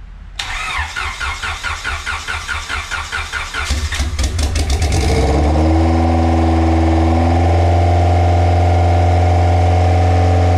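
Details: Budget eBay-turbo Honda Civic sleeper build (500hp target), first start after filling oil and coolant: even starter cranking about five seconds, then catches and settles into a steady smooth idle. Normal start and idle.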